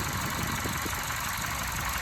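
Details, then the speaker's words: 2012 Chevy Cruze LS 1.8 with slightly surging, lumpy idle and low shaky throb, engine shaking slightly; owner suspects PCV valve in cover, many engine parts already replaced, cause not found. "2012 chevy cruze ls 1.8 having a surging idle a slightly surging idle"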